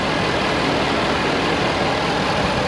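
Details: 2013 Ford F350 Super Duty XLT diesel 4x4, regular cab, single axle, hood open: steady even diesel idle clatter with no misses, knocks or surges; healthy.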